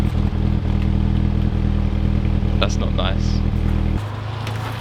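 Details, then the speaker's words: Volkswagen Passat before swapping a coil pack: uneven, lumpy idle with an irregular stumble in the low engine note; engine misfire, owner suspects faulty coil packs. "all right so this is what it sounds like right now and you will definitely be able to hear the next file"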